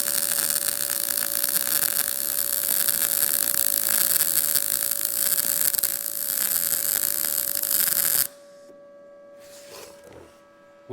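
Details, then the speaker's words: Arccaptain MIG200 MIG welder on sheet metal, turned up to 155 after the earlier welds showed too little amperage or wire speed: a steady, crisp bacon-frying crackle for eight seconds, the sound of a correctly set short-circuit MIG arc. "that tells me that I need a little bit more amperage or wire speed to get that sound right so I just turned it up to 155 we'll see if it auto sets to something that I like the sound of"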